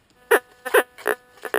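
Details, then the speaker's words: White's GMT gold detector: four short, low "pig grunt" tones about half a second apart; iron target, ignored. "Hear the grunt? The pig grunt, that's iron. We don't worry about iron. More grunting, iron."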